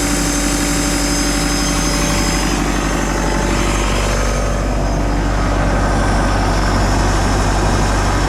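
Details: Takeuchi TL150 track loader diesel after a rebuild and engine reinstall, first start on a temporary fuel pump wire: steady, even idle with deep constant drumming, no misses or knocks; engine runs normally.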